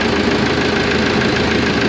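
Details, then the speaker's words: Auction roller after a complete rewire, second start attempt: oil pressure 60 lb at idle, no exhaust leaks, throttle set right. A steady, even idle with a smooth low rumble and no knocks or misses; healthy. "60 lb that's an Idle No exhaust links got lights man I think our throttle wage is about Perfect all right"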